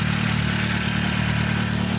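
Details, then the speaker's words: Chevrolet Celta engine after water pump replacement: smooth steady idle, even low hum, no metallic rattle or grinding from the front of the engine. The earlier noise came from the broken water pump, not the alternator bearing. "aí galera acabou o barulho tá zero bala agora o motor celtinha relóginho"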